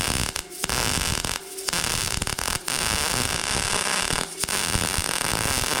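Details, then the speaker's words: A Bestarc MIG145 MIG welder lays a bead that was judged to sound perfect. A steady, even crackling sizzle with short pauses and no popping; it was later found to lack enough amperage, causing some burn back. Normal welding arc. "It will a little bit, but you you can hear it kind of crackle. It won't won't start to really sizzle unless you're hogging into it."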